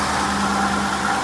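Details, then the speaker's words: 2011 Dodge Durango 5.7L, just over 80,000 miles: wavering whirring tone over a steady idle from the belt drive; worn water pump bearing, pump to be replaced. "but it's making a really weird noise and that's it's been the terminus to water pump so I'm gonna have to change that"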